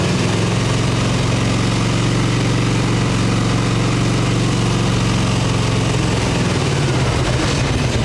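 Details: 1989 Harley Ultra Classic Tour Glide Evo, butterfly carb, on ancient gasoline: a steady high idle on full choke at about 3,200 rpm sags as the engine begins dying. It runs on choke but dies when the choke is off; the cause is unconfirmed.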